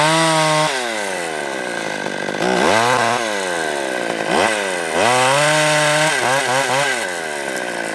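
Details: Stihl 020 AV chainsaw with new clutch, new nose-bearing bar and new chain, warmed up with idle turned up, first test cut: crisp two-stroke wail bogs under cut and snaps back to high revs cleanly; normal, strong cutting.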